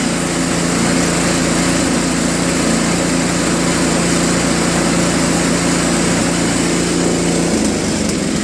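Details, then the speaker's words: Tecumseh Snow King 5.5 hp 195 cc snowblower engine, carb previously gummed from storage and cleaned: after adjusting idle screws at high and low throttle, steady even buzzing idle with no surging; surge fixed. "but uh looks like it was just some screw adjustments to get it running just the right way"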